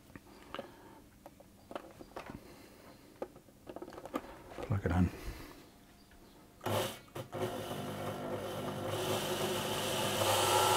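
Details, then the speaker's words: Elna Electronic TX (Lotus type) sewing machine with a stuttering or non-starting motor, original motor tested on a known-good board: light clicks, then smooth, even whir building with no stutter; motor good, fault likely the 2.7k resistor on the original board. "All right, so that tells us that our original motor is good and that more than likely the issue is going to be the resistor on this board here."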